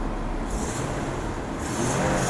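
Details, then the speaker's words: Blue Mercedes W126 300SEL, warm engine restarted after repair of the fuel distributor, which had been under-supplying fuel and preventing hot starts; even, steady idle with no misses, knocks or surging; engine running smoothly and healthy. "engine is running smoothly now. So don't worry about it."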